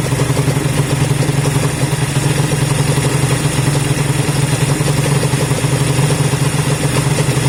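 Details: Honda CB200 twin first start after many months stored, after air filter work and fuel run through: steady low idle beat with light top-end clatter that doesn't stand out; running fine, normal idle.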